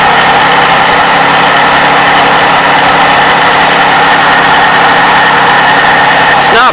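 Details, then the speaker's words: 2007 Toyota 3.5L V6, 170,000 miles, cold start before adding graphene oil additive; busy rapid clacking from valve timing (VVT) actuator over the engine hum, belt noise also audible: VVT actuator cold-start clatter. "yeah a little bit of clacking noise coming right from here"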